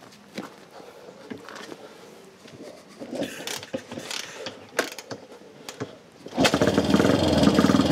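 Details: Classic single-cylinder motorcycle, cold start after tickling the carburetor and applying choke: a few scattered clunks and kicks, then catches at about six seconds and settles into a steady even beat; normal start.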